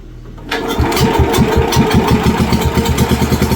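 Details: WWII Wisconsin AB Signal Corps generator, revived after about 70 years unused, run on fuel poured into the float bowl with the switch on, reading about 117–120 volts. Catches right away, then steady even thumping at about 5–6 beats a second, no misfires; running normally.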